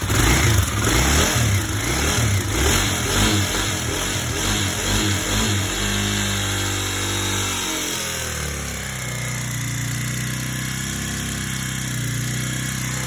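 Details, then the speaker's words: 2009 Kawasaki KLX250S, previously non-running, after carb cleaning and a fresh tank of gas: single cylinder catches and revs with crisp, even pulses, then drops to a steady settled idle; normal start and revving. "We've got her running. We cleaned the carbs out, put a fresh tank of gas in. Pretty much just started right up."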